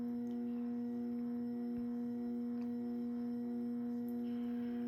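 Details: Early-1980s CEC-made Moss Heirloom Olympus 52-inch ceiling fan at medium, around 95 RPM, on variable speed control: steady low electrical buzz with ringing overtone, no clicks; motor humming under speed control, still quite noisy.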